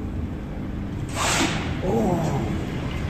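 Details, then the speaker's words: Lift at 3.5 m/s in very bad condition, heard riding on the car top in a building under refurbishment: a steady travelling hum, then two loud rushing scrapes as the car rubs at speed; the rider fears it will trip the safety brake. "you that kind of speed and it's rubbing that's scary"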